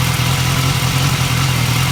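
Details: 2015 BMW S1000R, 4,600 miles: steady idle with light ticking from the engine's left side, first only at 3,000–4,000 rpm, now at idle too; extra noise at 6,250 rpm, most obvious in 2nd gear. Replacing butterfly valve and cam chain tensioner fixed it.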